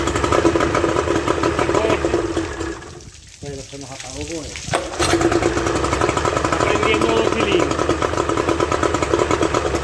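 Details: Suzuki 30 HP two-stroke outboard after freeing stuck piston rings and powerhead reassembly: steady crackling beat holding even after a brief dip in revs; runs cleanly, ready to use; normal running.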